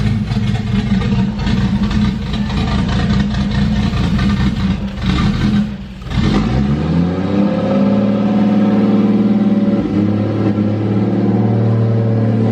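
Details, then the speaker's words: First start of a 1JZ engine swapped into a Nissan 240SX, turbocharged, spooling audibly: loud, deep running with a rough lumpy rev, then a steady throaty idle, no knocking; pretty loud, smells bad; normal running. "it's pretty loud it it smells bad here look at that turbo spool oh yeah"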